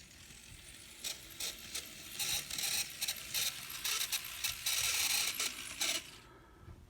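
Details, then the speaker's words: Kato SD40 model locomotive run on track before servicing: harsh, high-pitched gear rattle with uneven buzzing bursts, abnormally noisy running. "so it's running and it'll noisy that's not normal of course"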